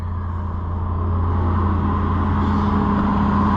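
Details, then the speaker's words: Ford Super Duty auction truck, after splicing a broken wire and reconnecting the fuel pump control module: runs with a smooth, steady low hum that firms up; normal idle. "how about that one wire broken is all she takes and she's a runner now"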